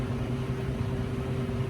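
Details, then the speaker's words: New Harvest Right freeze dryer on its first cycle, freezing sliced bread, in the vacuum freezing stage around -28 to -30°F: even low droning hum with steady buzz, no knocks or surging; vacuum pump running normally. "those stages, but we'll see when we check back on it tomorrow. We are now in the vacuum freezing stage."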